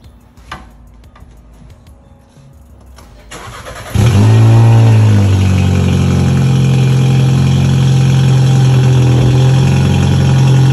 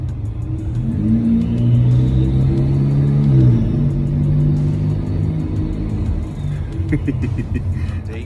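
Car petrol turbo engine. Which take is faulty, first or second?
first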